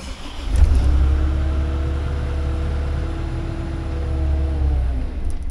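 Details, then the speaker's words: CAT 305 excavator with a common-rail diesel, just after a fuel filter change. It catches and runs at an uneven, wavering idle for a few seconds, then sags and dies from air trapped in the fuel system, which needs priming. "there it died alrighty just gotta Prime the air out"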